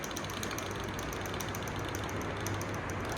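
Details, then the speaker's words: Motorcycle idling with quick, even metallic ticking, about seven a second: tappet noise from excessive valve clearance; fix is setting the adjuster with a feeler gauge to a hair-thin gap and tightening the lock nut. "ये वाली गाड़ी start है, लेकिन खन खन खन खन टक टक टक टक, ये किसकी आवाज है, टैपेट की आवाज।"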